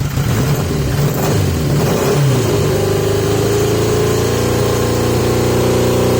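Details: 1980 Yamaha XJ650 with pod air filters, after carburetor work. The engine hunts and surges, revs wandering rather than settling to a steady idle. A mixture problem is suspected, not confirmed; owner fitting 115 main jets and testing restricted airflow.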